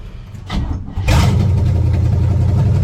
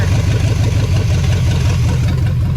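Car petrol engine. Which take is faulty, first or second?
first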